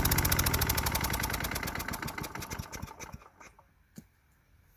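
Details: Craftsman Eager 1 4hp chipper vac (model 987.799790, auction flip) in chipper mode. Rapid, even beat while sticks rattle through, then cuts off; bent sticks jam. Running normally under load.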